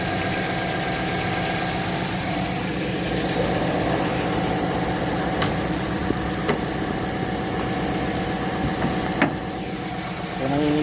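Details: Petrol engine misfiring at idle, uneven stumbling beat; wet spark plug and coil mentioned, diagnosed with a Launch X431 Pro.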